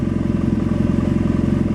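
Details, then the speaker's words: 2009 BMW F800GS twin, warm, idling lean near 16 AFR (15.5 once warm) after the secondary air system was disabled, Dynojet PC-5 Autotune not active: fast thumping idle with slightly uneven beats, starting to run a little rough, not suitable for trail work. "you can hear that it's starting to run a little bit rough it's not too bad now but uh it's certainly not decided for trail work"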